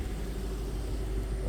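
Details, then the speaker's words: 2008 Range Rover HSE V8 running again after sitting 7+ years, with fresh oil change and new brakes, mic near the exhaust: low, even idle rumble with no knocks, ticks or misses; healthy idle. "get you down here to the exhaust I mean she's rocking and rolling fellas"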